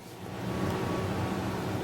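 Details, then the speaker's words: Gaming PC after hardware upgrades, listened to with most case fans unplugged: constant soft whoosh with low hum, no ticking or rattle, not as quiet as expected; the front fans aren't quiet, with some noise escaping through an open drive bay. "Not as quiet as I would have originally imagined. Yeah. Fair enough. Can't really tell what's making the most noise, really. These front fans sure aren't quiet, really."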